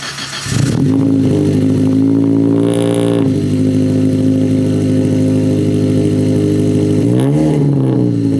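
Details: Ford Focus SVT first start after Truebendz catback install, catalytic converter gutted, no cat: smooth steady drone climbing cleanly on a quick rev and dropping back, no rattles or leaks; exhaust healthy and fairly quiet.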